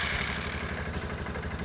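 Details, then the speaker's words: Suzuki King Quad 450 ATV after service with fresh oil, first start in a couple of weeks: single-cylinder thumping at a steady, even idle with light valve clatter and no misses; starts easily, runs healthy. "Starts like a charm. It's the best running bike I've ever had."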